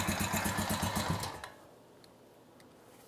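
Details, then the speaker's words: 2006 Honda TRX350 Rancher barn find, after carburetor rebuild, idle raised: single cylinder chugs about four beats a second, falters and dies within a second and a half, acting like the carburetor is flooding. "acting like you're flooding."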